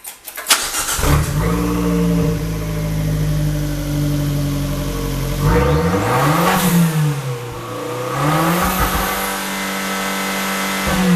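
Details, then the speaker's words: Fiat 500 Abarth turbo engine swapped into Fiat X1/9, no muffler, only turbocharger, catalytic converter, pipe and twin stainless tips: starts, settles, revs climb and fall cleanly through loud open exhaust; normal running. "again there's no muffler all we have on here is a turbocharger catalytic converter a white pipe and it branches up into these two stainless steel tips"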